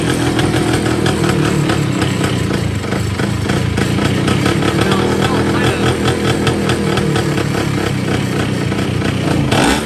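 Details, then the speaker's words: Vespa P200 with Malossi 221 kit, Pinasco long-stroke crank, SIP Vape ignition and 24/24 Dellorto bored to 26, on first start: raspy two-stroke running rough with a sharp pop; backfire, sheared woodruff key suspected. "Listen...That Did you hear it backfire? I think we just sheered the woodruff."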